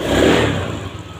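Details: Honda Beat ESP scooter with total electrical failure, no start even by kick, after replacing a blown 25-amp fuse: starts, brief rev rising and settling smoothly to idle, even with no misses or rattles; normal running.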